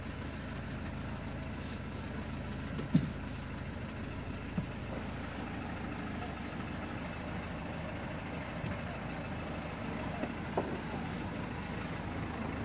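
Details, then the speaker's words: 2016 Mercedes Sprinter 316, 163 hp diesel, at idle: a steady, even low drone with no knocks or misses. The seller notes it runs evenly but says that proves little. Normal idle. "Двигатель работает ровно. Но это не показатель."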